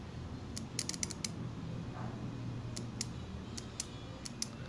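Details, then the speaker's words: Microwave relay tested off the oven by touching its coil terminals to a battery; light, crisp clicks in short clusters show the contacts closing and the two terminals gaining continuity, so the relay works. "se va a escuchar un ligero clic ese clip me indica que ya está cerrando el circuito y estas dos terminales pasan a tener continuidad"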